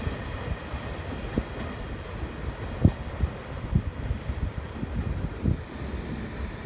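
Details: Freight train 4073 hauled by EF65-2063 departing Oyama Station, 2021-03-22: under the rolling rumble of passing wagons come sharp repeating thumps at a slow beat, many of them. Wheel flat spots.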